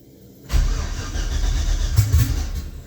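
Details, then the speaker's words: 1966 Chevy C10 LS swap, cranking: starter spins, engine roughly fires a couple of seconds then fades; owner suspects in-tank fuel setup bleeding pressure, fuel spraying and hissing in tank, replacement pump also failed. "it tries to fire but whatever's bleeding pressure is not letting it run again"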